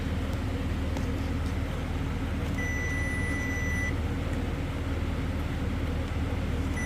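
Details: 2006 Chevy Silverado 4.8 with A/C not cooling and code P0530, continuity test on the high pressure switch 5V reference wire with engine running: steady high beep about a second then a brief blip; continuity until the broken, corroded section.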